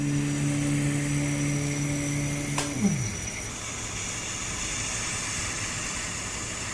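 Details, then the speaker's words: Rhino Evo motorized camera slider paired with an Arc head: a steady whine, like a tiny kettle, that drops in pitch as the head slows and stops, with a background hiss from the body; cause unknown. "then one sounds like a tiny little kettle inside it yeah who could help that would be good"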